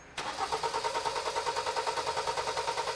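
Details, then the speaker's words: Four-cylinder engine cranked with all ignition coils unplugged for a PicoScope relative compression test using a current probe: steady, even cranking at roughly three pulses per second with uniform compression beats. Normal cranking. "so now we're ready to test so we can go ahead and crank it we've unplugged all the ignition coils and we're going to go ahead and spin it around and I'll tell you when to stop and then we're going to spin it a second time"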